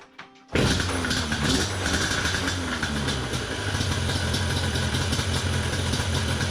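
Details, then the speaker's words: Yamaha Banshee 350 two-stroke after slides backed off further, air filters refitted and thumb throttle electrical unplugged: fires and settles into a steady, slightly fast buzzing idle that stays running; normal idle. "all right so we' got it idling now it'll stay running"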